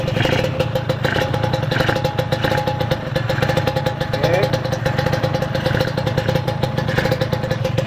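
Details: Kawasaki Ninja 150 two-stroke at idle, oil pump hose had leaked and premix now used; steady, even buzz with regular, lightly rattly beat, no knocking or misses; engine idles healthy.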